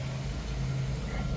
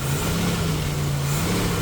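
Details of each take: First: 1989 Jeep YJ carbureted engine, fully warmed, air filter back on, after electric choke repair for running rich and fouling plugs: smooth steady rumble with no misses, but idle noticeably high. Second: 1989 Jeep YJ with carburetor and electric choke, previously running rich and fouling plugs, fully warmed up with air filter refitted: even, steady low rumble with no misses or knocks; normal engine running, idle slightly high.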